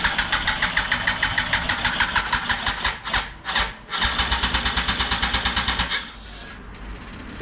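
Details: 2004 Yamaha R1 unstarted for over 10 years, after replacing old fuel with fresh and priming the fuel pump: the starter churns about two beats a second with brief pauses, but the engine never catches; cranks without starting.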